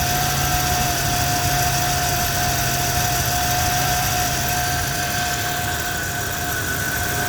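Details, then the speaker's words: 1990 Ford Ranger XLT 4x4 with the 2.9 engine, at idle after an oil change quieted the valvetrain tick: a steady high-pitched whine that doesn't change when the wheel is wiggled, so not power steering. The owner suspects the alternator, possibly the transmission. "it's got a bed whining noise it sounds like the alternator I was hoping it wasn't transmission could be both"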